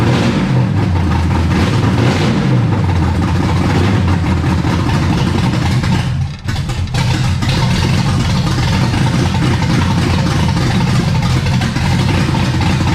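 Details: Camaro after the distributor was dialed back and then given a little more advance to set ignition timing: catches and settles into a steady idle with a couple of clean throttle blips, even with no misfire or knock; running normally.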